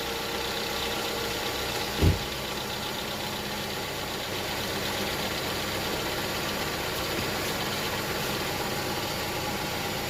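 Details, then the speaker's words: Hyundai Tucson after replacing the belt tensioner and pulley, whose bearing was noisy: a smooth, steady idle hum with the AC on loading the belt, and no whine or chirp from the belt side. It is much quieter than before. "Alright guys, so that's perfect. It's a lot quieter now. No noise."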